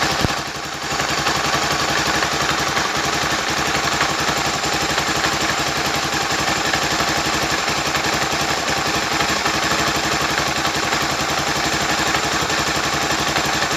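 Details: Tornado motorcycle engine noise traced to the clutch basket; a fast, steady, dry metallic clatter rides over the idle on every beat, worn clutch basket chattering at idle.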